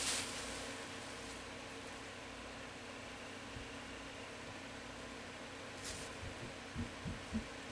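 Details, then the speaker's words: Comfort Zone 9-inch portable box fan, new out of box, on low: steady slightly throbbing hum with faint rough whir; owner suspects unoiled, dry motor bearings. "Yeah, those bearings are definitely not oil. I can already hear the bearings."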